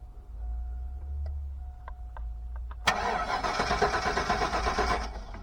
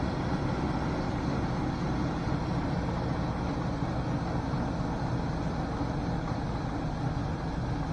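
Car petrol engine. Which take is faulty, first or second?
first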